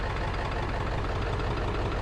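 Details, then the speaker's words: 2002 Ford F250 7.3 Power Stroke diesel after ICP sensor and IDM replacement: deep idle lumps and stumbles unevenly, running very rough; check engine light on, owner suspects possible fuel filter issue; cause unconfirmed. "that is still a crank but it is not happy that is running very rough"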